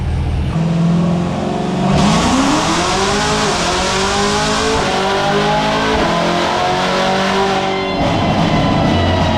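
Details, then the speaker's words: Modified C7 Corvette ZR1 on the dyno after a retune (previous pull 722 wheel hp), manual mode with the tuned auto upshift from second gear: a hard rising howl, a quick clean upshift, then it climbs again. A healthy full-throttle pull. "That trans tune is awesome. That was sick. That sounded sick."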